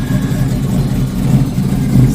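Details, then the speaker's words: 1972 Plymouth Barracuda with 340 engine and 727 automatic, before 6.1L Hemi swap, held on the brakes: heavy lumpy V8 idle rising and falling, car shaking; idle surge from high-profile camshaft with inadequate torque converter. "So here we are. We have some surge. I think it's almost like it wants to pull through the brakes. Very common with a high-profile camshaft and not enough torque converter to back"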